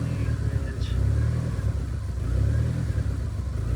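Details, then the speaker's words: Mitsubishi 4G63-swapped automatic SW20 Toyota MR2 with flex fuel sensor, run mostly on E85 and now on pump gas after the exhaust leak fix: low idle swells and sags about every 1.5 s, never settles. Running lean and surging, needs a retune. "Alright, we need to tune it a little bit now that the exhaust leak is fixed. Yeah, it's surging, lean, ridge."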